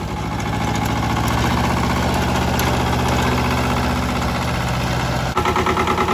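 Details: Mitsubishi MT372 diesel ride-on mower, auction-bought, modified dash without glow plugs, new battery: steady low two-cylinder diesel clatter at idle, even thumping without knocks or misfires; normal idle.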